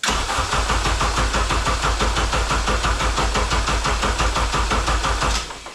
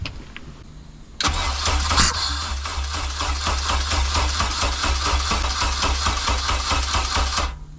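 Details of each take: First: K24A2 engine with 6-speed manual swapped into a 1987 Acura Integra, first start attempt after wiring harness, fuse box and ECM hookup: steady starter cranking at about three beats a second that never fires; cranks but won't start. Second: K24A2-swapped 1987 Acura Integra after new MAP and intake air temperature sensors, and 12 V added to the second cam position sensor: cranks briefly, catches and settles into a steady, busy, raspy open-exhaust idle; finally starts and runs.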